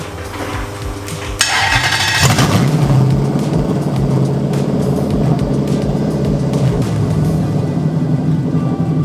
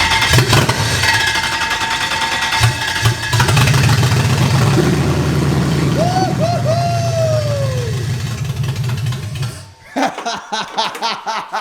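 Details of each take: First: BMW E30 with V8 swapped in from a Lexus LS400, first start, starting on the key: deep, throaty V8 settling into a strong, even rumble after a sharp blip, no miss or stumble; normal running. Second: Toyota LS400 V8 swapped into a BMW E30, first start with no manifolds fitted: with crank and spark confirmed, brake cleaner is sprayed in, bypassing the injectors. The engine cranks, catches and revs roughly for several seconds, then dies as the spray burns off because no fuel is supplied.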